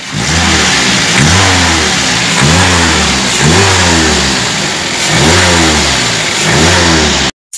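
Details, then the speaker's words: Toyota Avanza revved after replacing the upper idler bearing to cure a harsh whine on acceleration: the engine climbs and falls smoothly with no whine, which is now gone. "suara desingan sudah hilang Tidak seperti Tadi kesiangan sangat keras dan coba serasi suara desingan sudah hilang"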